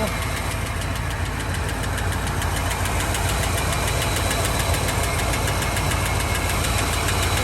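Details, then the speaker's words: 1984 Fox Body Mustang, 40k original miles, just started after sitting 20 years, good oil pressure: light quick ticking about 3.5 per second over the idle; suspected dry lifters from long storage, otherwise smooth, not missing, slight smoke from oil poured in cylinders. "There's a little lifter noise over here. I'm hoping that's just because those lifters are out of oil from sitting so long."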